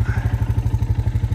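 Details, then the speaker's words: 2002 Honda Foreman ATV after a brake fix for a persistent squeak: about 40 minutes into snow plowing, even engine thump at about nine pulses a second with no squeal or scraping; normal running, brake squeak gone. "about 40 minutes into to [Music] plowing and no squeak"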